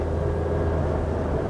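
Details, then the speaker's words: Front-wheel-drive car on road test at 80 km/h after repair of a noise first traced between wheel bearing and final drive, tyres slightly low: only low, even road rumble, no growl or rising hum; now quiet. "so that's an 80 Kay's now I can't hear any noise whatsoever apart from normal road noise"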